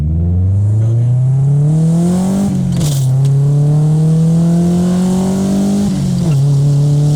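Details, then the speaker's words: 1995 Honda Civic EJ coupe, cheap eBay muffler packed with fiberglass insulation to cure rasp around 4,000 rpm, driving: deep smooth exhaust note rising and falling with revs through gears, no rasp; fix worked. "I'm definitely impressed with the sound that this little $10 fiberglass insulation did to the tone of the exhaust."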